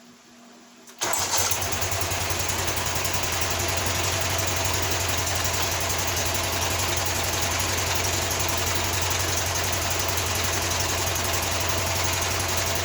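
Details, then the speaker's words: Walker mower with a Kohler CH620 twin, reported lacking power, started, then a spark plug wire pulled and the note changes: an uneven, lopey beat around 220 per minute. It is running on only one cylinder; the ignition coil is later replaced. "Issue with this is it is only running on one cylinder, so let me show you."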